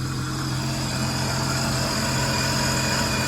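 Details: 2010 Sea-Doo RXT 260 with SBT rebuilt engine, tested after water-leak, carbon seal and jet pump repairs, seat open, air box off, temperature coming down, no check engine lights: smooth, even idle, steady low drone with faint constant high whine, no knocks or misses; healthy.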